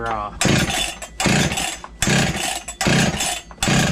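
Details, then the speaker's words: Old Husqvarna 61 chainsaw just after clutch replacement, long unused, revved in bursts about once a second: loose metallic rattle riding on the engine note, owner attributes it to a worn noisy piston and skirts, saw still starts and runs well; engine rattle. "you guys hear that rattle i think i mentioned it earlier in the video but if not this piston makes a lot of noise but those saw still starts up and runs good"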